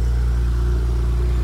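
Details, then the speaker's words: BMW 335xi, just started with a battery: deep, steady low rumble with an even idle beat and no ticks or knocks; engine idles cleanly with no issues. "sounds pretty good too no issues"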